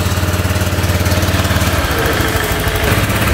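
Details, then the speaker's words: Honda Click 125i V3 scooter after repair of a helicopter-like, ticking noise first thought to be the transmission (pang-gilid): engine now idles steady and even with a low hum, no ticking or chopping; normal idle. "it's silent. Silent na bossing. Salamat sa tiwala. Honda Click 125i, done. Wala nang tinog helicopter o tunog TikTok."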